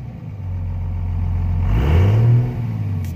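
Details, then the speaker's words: Dodge Ram 3500 Cummins diesel idles fine but the rumble falters and sags under throttle before recovering; voltage ruled out, owner suspects injector pump, injector or fuel filter, unconfirmed. Engine stumbling under acceleration. "yeah so it'll sit here and idle for days fine you know let's see there goes you can hear it that's fine there it is"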